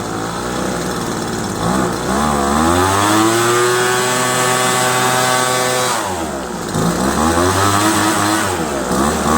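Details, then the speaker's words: Old Craftsman 25cc two-stroke leaf blower after diaphragm replacement, new fuel lines, carburetor cleaning and lengthy mixture adjustment: revs up and settles to a steady crisp idle without bogging or surging; air-fuel mixture sounds right, normal running. "25 cc's old craftsman idles really well you can hear the kind of the sound of how the gas air fuel mixture should be simply that sound pretty good pretty satisfied"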